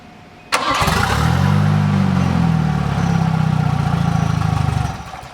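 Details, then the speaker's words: Turbo Volvo project car after relay and wiring work: the engine catches and runs roughly for a few seconds with wobbling revs, then dies as soon as throttle is applied. Spark is confirmed; owners suspect the main fuel pump isn't delivering fuel consistently. "ah just kills it as soon as you try and throttle up but that means we know it's got spark and we'll run as soon as we can consistently get fuel to it"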